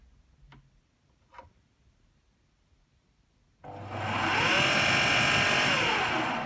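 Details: AEG Lavatherm 56800 tumble dryer, start button faulty and poked in: quiet, then the motor kicks in with a rising hum that holds briefly and fades; motor starts but stops almost immediately, later giving a 5-flash error.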